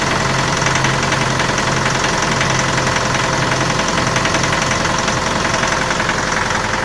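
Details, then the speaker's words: Mitsubishi L200 diesel, cold start after −12 °C night (−7 °C in garage): steady cold idle with a regular hard knock through the diesel clatter; knock occurs every cold morning and fades when warm, lately also under load, growing louder in higher gears. "Такой звук двигателя происходит каждое утро при запуске двигателя. При прогреве двигателя стук пропадает."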